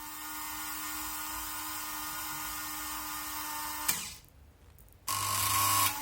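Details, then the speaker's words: Märklin 7186 model railway turntable (1958–1993 design), whose bridge had become sluggish clockwise, before repair. A steady buzzing motor whine with a high hiss, a short pause, then a louder restart; this drive is noisy in normal running. "it's still a popular model despite having been out of production for so long it's very noisy though as you can hear"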